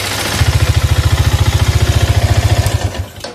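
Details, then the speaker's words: Used Yamaha Vixion (later NVA-era model), recently bought by a friend, at idle: rapid hard knocking about 3.5 per second, rattling like frying peanuts, heavy piston noise and connecting rod slap; badly worn piston and connecting rod knock. "Nah bisa didengarin suaranya gembrungsung parah untuk bagian bagian piston ini parah nih suaranya nih kemudian stang sokarnya atau stang sehernya ini udah mulai berasa juga"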